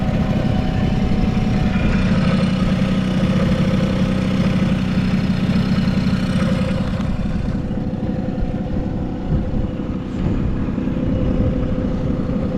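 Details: Vintage Honda 12V Squash (AB11-1055) moped, running check: an even, quiet mid-pitched buzz holding a steady speed with no knocks or rattles; a healthy small two-stroke at normal idle with no abnormal engine noise.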